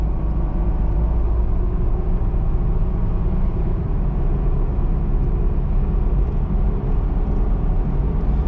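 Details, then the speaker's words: Nissan Xterra brought in for a suspected transmission issue, road test after repair at about 60 mph: steady, even low rumble under road noise, temperatures staying good, no knocks, rattles or drone; engine and exhaust healthy. "temperatures staying good where's that 60 mile an hour no problems whatnot"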